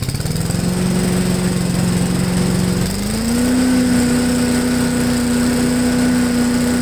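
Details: MTD push blower with 5 hp Honda engine, revived after sitting 2+ years, on the ground at full throttle: fires evenly, note stepping up cleanly and holding steady; idles well, owner feels high speed could run a little faster.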